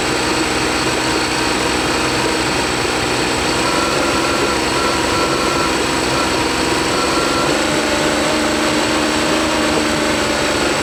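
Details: Honda BF40 outboard on a 14 ft boat, restored with new head gasket, test run: steady buzz at idle but runs unevenly and shakes as it revs, won't pull cleanly; fuel starvation, later fixed by cleaning carbs and replacing o-rings.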